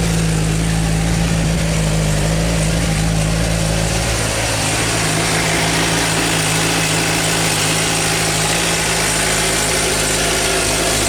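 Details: Suzuki GSR 600 inline-four idling with a light quick ticking over the engine hum; owner suspects cam chain tensioner or valve shim adjustment, or normal Suzuki noise.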